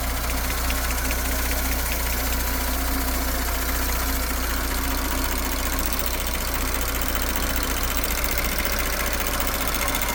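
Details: 2019 Audi S5, engine replaced 3,000 km ago, idling: normal high-pressure fuel pump clatter plus a new, unidentified fast light ticking from the front of the engine.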